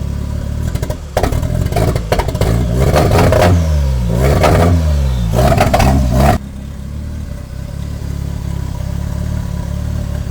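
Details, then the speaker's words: 1989 Toyota Corolla small body, free-revving while warming up after backfiring: revs climb and fall unevenly with a ragged, stumbling beat and clatter instead of a clean rise; misfiring, owner suspects an electrical problem. "meron pa din guys may ano may parang may parang may plema parang kumbaga sa lalamunan hindi smooth yung daluyan"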